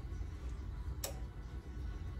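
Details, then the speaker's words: Fancierstudio 15x15 heat press in use: a single sharp click over quiet room hum as the relay cycles to hold the set temperature, which is normal. "like i said you're gonna hear it clicking but that's because it's trying to get the temperature stay at the temperature that that's required"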